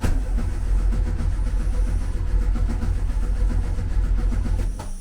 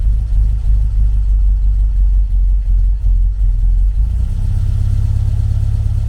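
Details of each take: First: 1974 VW Beetle, 1915cc air-cooled engine converted to MaxxECU fuel injection, set sequential without cam sensor: steady starter churn with throttle open, engine never catches; crank no start, owner suspects a configuration setting. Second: 1974 VW Beetle 1915cc air-cooled engine on MaxxECU EFI during fuel-table tuning: low, even idle settling to a steadier beat, no misses; normal idle, running well with lambda around one.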